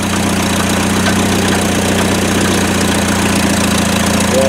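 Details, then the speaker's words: LS-swapped Mazda B2200 on its first start in 17 years, with two vacuum lines plugged; it idles with a steady, regular deep knocking that the owner suspects may be a rod knock, unconfirmed. "that's just plugging up two vacuum lines that sounds like a rodnock maybe it's a throwback"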